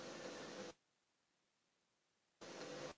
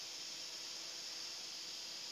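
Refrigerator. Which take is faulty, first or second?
second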